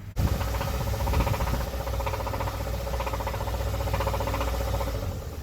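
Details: 2013 Hyundai Sonata petrol engine after recall work, codes P0014 and P1326, check engine light flashing: rough idle with deep regular knocking, rod knock; engine rocking and failing after about five minutes of idling.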